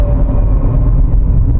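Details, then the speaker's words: Nissan X-Trail T32 SUV driving above 60 km/h: heavy road rumble with a faint steady fine-pitched but loud hum from a worn gearbox bearing, finer than the rough sound of a wheel bearing; gearbox opened and bearing confirmed. "start 60 ke atas akan ada bunyi ngong ngong tak macam bunyi bearing di bahagian tayar bila bunyi bearing bahagian tayar dia bunyi dia bunyi dia kasar tapi di bahagian gearbox bunyi dia halus tapi kuat"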